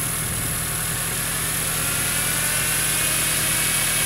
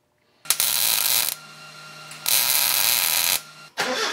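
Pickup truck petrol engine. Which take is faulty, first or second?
first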